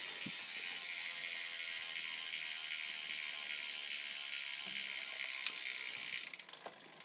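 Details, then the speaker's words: Campagnolo 11-speed bicycle drivetrain in the worst rear gear, front derailleur not touching: fast dry ticking buzz about four per second from the rear as the cranks turn; chain grinding on cassette. "and here we are just buzzing like mad back here the budging that you're hearing is coming from the back"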